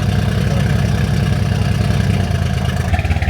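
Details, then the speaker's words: Crashed Mercedes-AMG C63s Edition 1 donor car running very weirdly, like on 4 cylinders: lumpy, uneven idle with irregular low thumps. "It's running very weirdly. What is going on with this car? Running like 4 cylinders."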